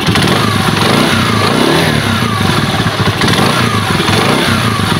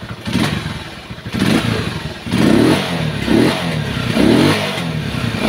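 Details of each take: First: Rusi motorcycle one week after overhaul: single-cylinder blips that sag and stumble on throttle, nearly stalling, with hissy leak near exhaust; head gasket leak. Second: Rusi motorcycle one week after overhaul, previously bogging and leaking: crisp throttle blips rise and drop cleanly with no stumble; throttle response now good, not choked.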